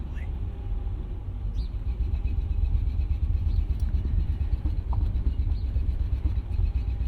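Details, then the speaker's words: 2000 Mercedes-Benz ML55 AMG, never run right since purchase: low, uneven stumbling rumble creeping at six mph under throttle; bad misfire under load, cause not found. "as you can see we're getting maximum potential out of this AMG right now six miles per hour can we do seven it's misfiring terribly"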